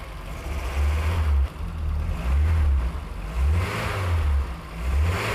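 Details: 1988 Golf Cabrio GTI after the fuel pumps were heard priming: the engine starts, answers repeated throttle blips cleanly about once a second and idles steadily in between with the dash lights off; normal revving.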